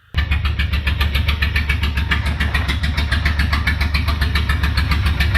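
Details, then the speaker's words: Toyota van engine at cold idle with open extractors and no muffler: very loud, raw, even pulsing around 210 beats a minute, so loud that a misfire went unheard. "The extractors were fucking loud because there was no muffler. All the noise was just coming straight out the extractors."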